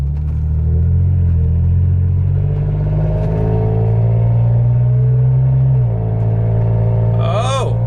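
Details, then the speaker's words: Toyota Tacoma test drive after replacing broken C-pillar trim clips: low engine drone rising and falling with revs, no buzz or rattle at the RPM where it usually occurred; cabin trim quiet and secure. "I think we did it, boys. It usually does it when I hit a certain RPM, and I just hit that right now. I didn't hear anything"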